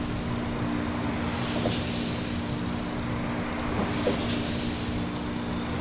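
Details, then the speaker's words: Wind turbine 167 at Ocotillo Wind, with oil on the tower: a dull knock over a steady low drone, about every 2.5 s, once per rotor turn as a blade passes the bottom. The owner suspects the blade is loosening at its root; not confirmed. "it's making a clunking noise every time a blade gets to the bottom clunk clunk"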